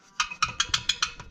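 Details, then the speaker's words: 2007 Yamaha Grizzly 700 ATV at idle: sharp metallic ticks about six per second in step with the engine, from a bolt that isn't fully tight and has a stripped head; loose bolt rattle. "And I'm also going to fix this, because when this bolt ain't all the way tight."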